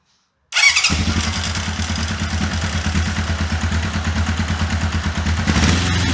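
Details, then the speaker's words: 1981 Honda CB750K four-cylinder, not run since 2010, after carburetor rebuild, auto petcock bypassed, idle screw adjusted: fires straight up and settles into steady even idle with regular exhaust pulse, no misses or stumbles. "So I'll go ahead and fire it up. Make sure it runs like it should."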